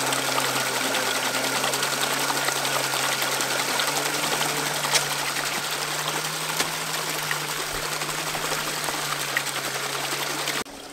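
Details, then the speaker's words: Waterwheel microhydro generator, mounted and spinning backwards, connected to Victron MPPT charge controller: steady low hum over rushing water, pitch easing slightly as the controller adds resistance to slow the motor to its maximum-power rpm; normal running under MPPT load. "can hear the MPPT controller kicked in there and it started increasing the resistance to slow the motor down"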